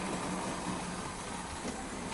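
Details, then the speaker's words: Bachmann OO gauge SE&CR C Class 0-6-0 model locomotive after oiling the coupling rods: steady, even whir with the earlier squeak cured; running smoothly. "situation update viewers i have put some lubrication oil on the crank things and that's cured the squeaking and she's done a couple of laps already and she's saying sounds perfectly fine"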